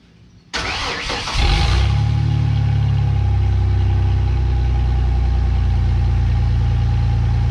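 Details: 2017 Ford F150 5.0 after catalytic converter replacement, air pump and return line removed, vacuum line plugged, EGR still on: starter whirs, engine settles into a steady, even low idle with no knocks or misses.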